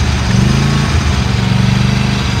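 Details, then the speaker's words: Used Dixie Chopper XG2503 zero-turn mower, Generac gas engine idling, blades off, shuts off when operator leaves seat; steady low drone, smooth unbroken beat, no knocking or surging; motor sounds and runs good; normal idle. "all right and there goes as soon as you get off it shuts off but the motor sounds good and it runs runs good"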